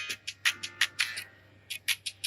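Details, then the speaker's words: First-gen Apple AirPods Pro right earbud after replacing its crackling speaker: music plays clean and even with crisp beats, no crackle or dropouts, now maybe sounding better than the left. "all right so here we go got it all working again sounding great in fact the right one now sounds maybe even better maybe or maybe it's just me than the left one"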